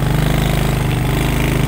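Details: Manual-gear motorcycle climbing a hill in first gear: deep, even thumping beat that holds steady while the engine labours uphill; pulling cleanly with no knock or rattle.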